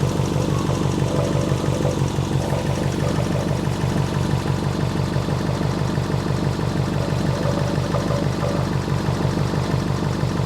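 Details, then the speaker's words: Subaru Impreza with EJ engine, back running after six years off the road, following timing belt, water pump and radiator replacement. Steady idle with a faint rhythmic tick about three per second on the low rumble; an annoying engine bay noise, source unknown. "Also, I found out about this annoying noise."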